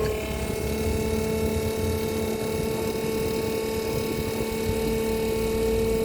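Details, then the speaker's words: RVGUARD macerator pump dumping a Class C RV gray tank with fresh water running through the line: even motor hum, steady high whine and rushing water, no straining; pumping normally under load. "So that's the water from the gray tank going through. I have the fresh water."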